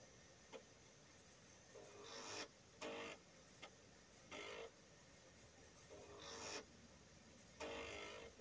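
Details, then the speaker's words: Indus GT floppy drive on an Atari 8-bit running CP/M while MT Plus Pascal compiles: repeated short bursts of buzzy head stepping, one to two per second, over a quiet hum, normal seeking. "you can hear the Indus grinding away as the compiler completes its task"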